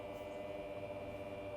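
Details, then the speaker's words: New facelift Tesla Model 3 Performance after being driven hard; steady, even whir with fixed tones that keeps running: normal cooling system noise after driving. "However, it does make a noise after you run it for a bit. Can you hear it just whirring away?"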